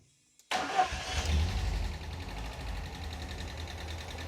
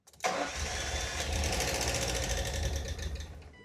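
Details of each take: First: Normal start and idle of a 1988 Ford Escort after refurbished Bosch K-Jetronic metering head reinstalled with fresh fuel: sharp crank, engine catches, flares briefly, settles to steady even idle. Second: 1988 Ford Escort with refurbished Bosch K-Jetronic metering head and fresh fuel: catches strongly after a brief crank, runs a few uneven seconds, then fades and dies completely, possibly not enough fuel.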